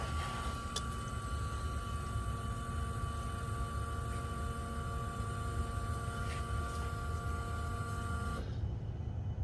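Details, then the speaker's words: Ford F250 fuel pump priming after both fuel filters were replaced: a steady electric hum runs about eight seconds, then cuts off cleanly once fuel pressure builds, with gurgling fuel and no leaks. A normal fuel pump prime. "you hear the fuel pump running priming it"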